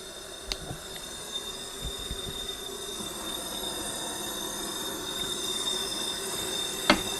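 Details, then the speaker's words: Jeep Wrangler 4.0 with dead miss on two cylinders, leak-down test: thin steady hiss instantly as cylinder is pressurised, air escaping from adjacent spark plug hole; head gasket blown between the two cylinders. "I hear it leaking instantly, so let's see what we got."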